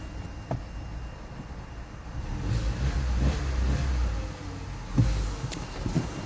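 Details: Opel Astra H 1.4 66 kW at idle: rough low idle with a few sharp knocks at uneven intervals from under the engine; source unidentified.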